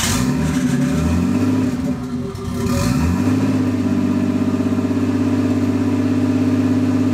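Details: RB25-swapped Nissan R32 Skyline GTS first start after swap: blips up, dips, then settles into even steady idle with regular pulse, no misfire yet; misfire, suspected from overheated coil packs, came later.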